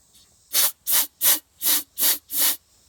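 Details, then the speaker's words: 1987 Corvette with flooded cylinders, one spark plug removed at a time; six sharp hissing compressed-air blasts, about two a second, blowing fuel out of the cylinders. "see they're just full fuel it's flowing right out this thing is definitely flooded let's blow it out with the air compressor"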